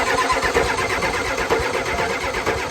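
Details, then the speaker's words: 1990 Ford F-250 7.3 IDI diesel, first start in three years on a cold February morning, new high-torque starter fitted: spins over at an even cranking pace but never fires; not getting fuel. "Anyway, I've replaced the starter, and when I crank it over, it's not getting fuel."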